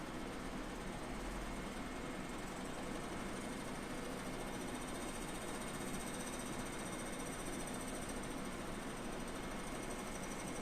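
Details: Air conditioner indoor evaporator unit with a steady, fast mechanical rattle under its hum, like a small motor chattering without pause; the unit is not cooling. Abnormal mechanical rattle.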